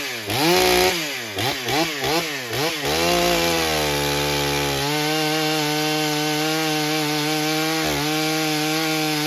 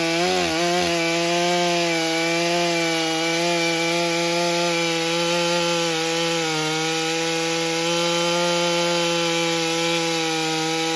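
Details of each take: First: Stihl MS661c chainsaw rebuilt with a forged Wiseco piston, first tank on 40:1 mix, 32-inch bar cutting soggy old poplar: the saw warbles and burbles, four-stroking (running rich) on the first cut, then clears to a clean high scream. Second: Stihl MS661c chainsaw rebuilt with a forged Wiseco piston, first tank on 40:1 mix, 32-inch bar nearly fully loaded in soggy poplar: holding a high steady scream with only a slight dip; strong, clean running.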